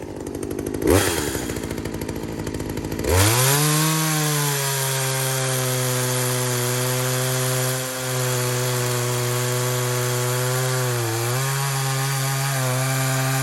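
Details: Poulan 2075C two-stroke chainsaw (about 32cc, 16-inch bar) after a carburetor mod and tune, cold start at about 15°F: catches after a couple of pulls, holds a steady high scream, dips briefly when cutting wood and recovers cleanly; normal running under load.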